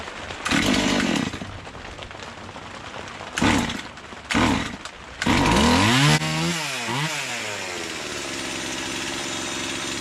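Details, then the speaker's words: Stihl MS170 clone (Amazon 170) after swapping a Holzforma carburetor for a new stock OEM steel carburetor: near-cold start with a dry carb, fires on half choke after several pulls, revs cleanly and settles to a steady idle. Livelier, less smoke. "it sounds like it woke it up more though to be honest just putting that steel carburetor on that that stock OEM brand new steel carburetor on compared to the Hall's fora"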